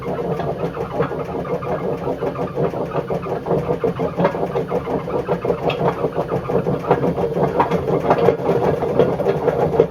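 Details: Bush WMDF612 washing machine: harsh, continuous grinding rumble growing louder as the drum spins, from badly worn drum bearings, judged not worth fixing.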